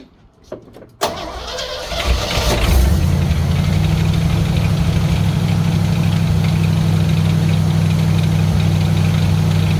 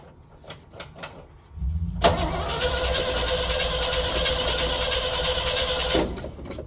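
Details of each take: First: 1964 Chevrolet Suburban after running heavy-gauge wire from key switch bypassing GM wiring: cranks briefly, catches after a second, settles into steady even low rumble with no misses or knocks; starts and idles normally. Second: 1964 Chevrolet Suburban, new fuel pump, tank leak fixed, new ignition wiring, usually needs priming: steady starter whir about four seconds, no firing; cranks, won't start, intermittent ignition wire suspected, not confirmed.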